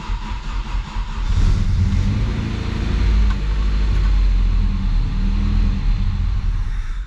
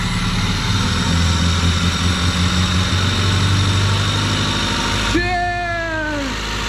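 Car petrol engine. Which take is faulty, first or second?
first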